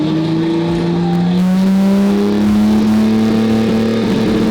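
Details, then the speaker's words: 1966 Mercedes 220S, first run after about 25 years stored, fed directly from a bottle via electric pump to the carburettor after drying and cleaning the spark plugs: revs rise smoothly with a clean note, no misfire or clatter; normal revving. "现在是的，现在是的。我是说，我永远不会说这辆车听起来像那样之前从未听说过。"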